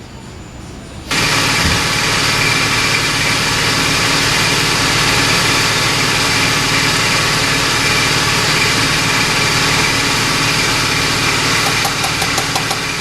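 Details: 1970 Pontiac LeMans 455 with Quadrajet, after transmission rebuild, not run in a long time; fires after fuel down the carb, loud steady even idle without knocks. Finding: normal idle.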